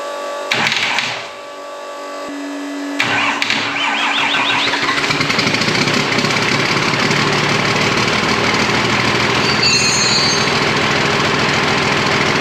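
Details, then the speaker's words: Freshly rebuilt twin-turbo Fummins diesel, first start after four months with injection pump timing just set, no coolant and a fuel leak: cranks, catches on second try, settles into even clatter with steady beat; sounds super healthy. "Well, huge progress, huge step in the right direction. This thing sounds super healthy."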